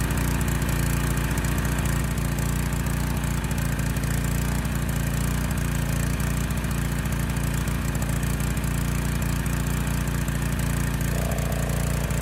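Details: Honda EG1400x generator (earlier readings around 59 Hz, 123 V at 750 W load) with its air filter refitted: steady low drone with a faintly uneven beat at constant speed, running slightly rich and slow.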